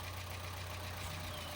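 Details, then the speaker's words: Chevrolet Trax that had sat long without starting, now running after head removal and repairs: the initially noisy start settles to a steady, even, quiet idle with no ticking or knocking. "Tahimik na yung andar niya. Tahimik na. Tahimik na."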